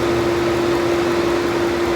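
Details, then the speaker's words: Infiniti FX engine bay right after start-up with the old passenger-side radiator fan control module refitted: loud steady vacuum-cleaner/jet howl over rushing air; faulty module, howl gone after replacement. "you guys hear that really loud like a it's m sounds like a vacuum cleaner from the other room"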